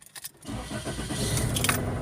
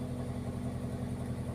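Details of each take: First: Toyota with igniter trouble codes (P1300–P1325 range) cranks, catches, runs roughly a second and dies after codes were erased; stalls right after start, suspected ignition coil, wiring or PCM cause unconfirmed. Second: Toyota throwing igniter code P1315 (suspected ignition coil, wiring or PCM/ECM) that would not start or died after starting; after the code erase, a low, smooth, steady idle with no stumbles, no DTC, no check engine light: normal idle.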